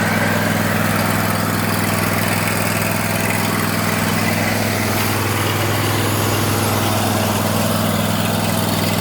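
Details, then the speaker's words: Bradley riding mower after fitting an original-type deck belt with about an inch of play, blades engaged: a smooth, constant low hum with no squeal, slap or grinding. Normal running with blades engaged. "And guys, if you know anything about lawn equipment, when I turn that on, you know how it's supposed to sound."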